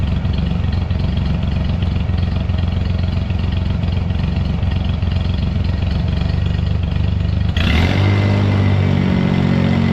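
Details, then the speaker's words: Scag lawnmower engine after cutting off muffler whose broken baffles likely restricted exhaust and caused rough idle and low power: steady low thrum, speeds up smoothly, no misses or rattles; runs healthy after repair. "But by golly, I think she's ready for grass mowing season. She sounds good."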